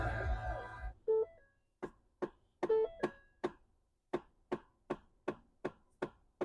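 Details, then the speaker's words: 2011-2019 Ford Fiesta on start-up: sharp, regular knocks from the dash, two or three a second, from a failing HVAC mode/blend door actuator (passenger or driver side), fixed by replacing the actuator. "and it starts knocking at you. The darnest thing, what that is is the actuator in the dash that operates the vents or the temperature control."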